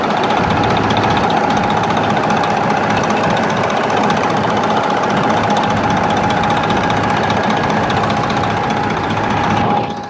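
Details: Detroit 12.7 diesel at idle: loud, uneven stumbling beat with irregular knocks, a cylinder dropping out; injector harness loose and not connected correctly, new harnesses needed.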